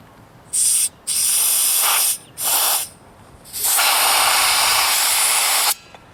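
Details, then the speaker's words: Small tire leaking air with sharp hissing bursts, the tone roughening and fading as Slime sealant passes the leak. "you can hear it hissing i can hear it the sound of it changing as the slime goes by like right there it's getting less can feel the air coming out of it"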